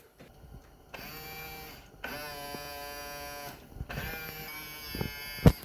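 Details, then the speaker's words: Widebody WRX wagon race car during new wiring and Haltech ECU setup: three short, clean, even whirring bursts of about a second each, no clicking or binding; power mirror motors working normally. "Oh, and check this out. We have power mirrors."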